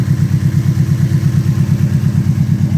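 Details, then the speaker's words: Ford Fusion idling right after a DIY valve cover gasket replacement for a blown gasket. A deep, even rumble with a steady low pulse and no ticks or knocks; normal idle. "That's the rumble we want."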